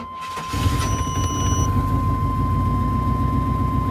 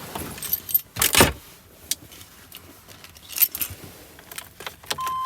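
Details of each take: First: 2000 Chevrolet Tahoe Z71 5.7 liter after installing a new distributor and cap; engine catches after a brief hesitant crank and settles into a steady low idle with a slight miss; hard starting again. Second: 2000 Chevrolet Tahoe Z71 5.7 V8 after distributor and cap replacement for hard starting: short crank and it fires at once into a steady idle; starts easily, though a slight miss and shake are felt afterward.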